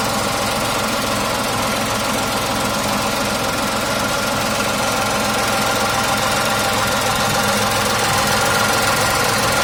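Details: 2019 Tata Tiago XZ petrol three-cylinder at idle: even, steady running with a soft regular pulse and no knocks or rattles; normal healthy engine.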